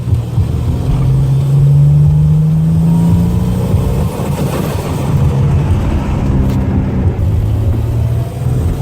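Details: L36 TGP engine pulling hard under acceleration, some runs with a blow-off valve and some without; rising tone stumbles and drops out unevenly mid-pull, misfire under load, cause unknown.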